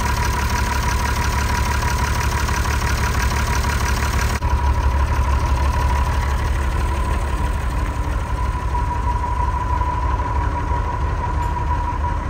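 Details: TK Bedford crane truck with a replacement Perkins 6354 six-cylinder diesel, sat 20+ years in a farm shed, now restarted after fuel-line bleeding: steady, even idle of roughly three beats per second, no knocks or misses, a normal healthy idle.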